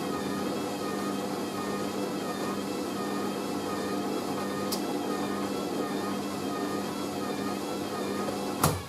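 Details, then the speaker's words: Hoover A3060 Electronic 1100 washing machine on Minimum Iron 50ºC with Bio Prewash, going into spin; steady motor whir with a slowly wavering tone as the spin builds, load sounds unbalanced in the drum, suspected not confirmed. "i can tell that sounds unbalanced"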